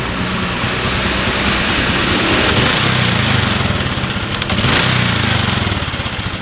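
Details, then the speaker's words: Honda Supra X 125 motorcycle that often stalls on the road, throttle snapped in neutral: faint sharp ticking over the revving engine; ignition spark leak, possibly in the CDI-to-coil cable or the coil-to-spark-plug lead. "ya, ada suara seperti ciri-ciri dari kebocoran pengapian. Bisa itu dari kabel yang menuju ke coil dari CDI, bisa juga dari coil yang menuju ke busi."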